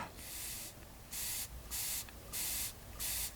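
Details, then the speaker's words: SIP Medusa T951 two-stroke generator carburetor, bowl off, jet not yet cleaned: five short half-second bursts of hissing air with clean gaps as air passes the float valve; float working fine. "float's working can you hear that so that means the floats working fine"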